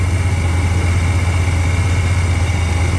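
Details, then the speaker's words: 1990 Chevrolet 454 SS, stock with reportedly a new camshaft, cold start: low, even V8 idle with a constant high-pitched whirring from a bad idler pulley bearing, located by ear at the pulley. "Yeah, there's definitely bad idler. I think it's this guy right here. I can just hear it right here."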